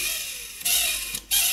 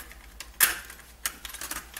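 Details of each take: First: Coleco Adam data drive with a dirty, rusty head, before cleaning and before oiling the index wheel: short bursts of high, hissy scraping whir with quiet gaps; noisy data drive. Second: Coleco Adam data drive after cleaning the head and oiling the index wheel to stop the squeal, formatting a data pack: bursts of light clicking and tape shuttling, much quieter, no squeal or grinding; normal data drive operation.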